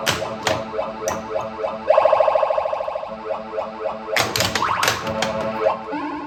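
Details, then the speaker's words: Bally Silver Ball pinball before teardown, new playfield fitted: chimes, bells and electronic tunes in lively bursts over background music; playfield and plunger working, kickout dirty; normal operation. "So, you guys hear it? It works. Seems like everything's working on the playfield and everything."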